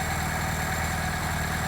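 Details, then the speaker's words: 1980s Vauxhall hot hatch barn find idling with a steady smooth low thrum, no knocks, misses or hunting; original fuel pump delivered no fuel, engine running cleanly. "I can't I can't wait. Listen to that. Really, really smooth."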